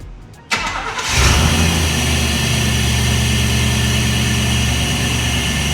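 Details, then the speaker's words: 1996 Chevrolet K1500 Silverado after repairing leaky K&N intake (MAF couplers refitted, filter oiled), microphone under hood near intake: brief crank, catches cleanly, steady even idle, no hiss or stumble, no leaks felt; normal start and idle. "oil she sounds happy and healthy I've been feeling around I don't feel any leaks"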